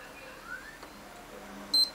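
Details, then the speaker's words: PS3 held power button during the recovery mode sequence: a single short, high beep in a quiet room, part of the three beeps before the double beep that enters recovery mode. "then you're gonna hold it again um until you hear two beeps just going baby at once and that is when you're like uh and that's when recovery mode happens"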